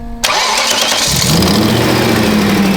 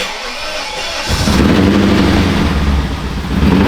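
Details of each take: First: BMW E39 540i V8 after a sensor tip was ground down and refitted: cranks, catches, settles into even idle, knock gone, only a faint tick from an exhaust leak. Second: BMW E39 540i V8 abandoned car, swapped to manual, first start: catches after a second with heavy smoke and runs unevenly, rumble surging and sagging.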